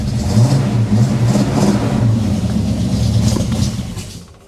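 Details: 1967 AMC Ambassador after fuel system repair, first start attempt: engine catches and revs roughly for a few seconds, then sags and dies; it stalls, likely fuel starvation.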